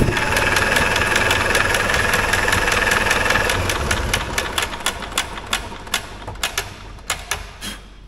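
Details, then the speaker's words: 1960s Caterpillar pony engine fired on ether without carburetor, borrowed plugs and wires: rough firing breaking into scattered sharp pops, popping back everywhere; owner 90% sure one or more valves are hanging up, compression felt weak at plug holes. "I think we might have a valve sticking because it kind of popped back everywhere there yeah I'm like 90 sure we have a valve hanging up or more than one valve hanging up"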